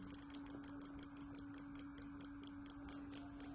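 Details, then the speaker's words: Two-wheeler fuel injector on a bench injector tester with the pulse raised: crisp, even ticking at about four clicks a second over a steady hum, the injector opening and closing cleanly. "यह देखिए बकायदा टटक की आवाज आ रही है।"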